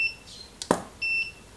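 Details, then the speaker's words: Godox SK400 II studio flash after repair of Error E3 and weak power, tested at low 1/16 power: one sharp flash pop with short high ready beeps before and after, recycling cleanly; works normally. "Hai ini seperenambelas ya dia"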